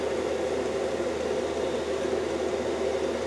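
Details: Cheap Chinese diesel heater wall-mounted in a workshop, intake drawing garage air, about 3–5 minutes after start-up with warm air now coming through: steady, even rushing hum with a constant fan tone, no surging or ticking; running normally.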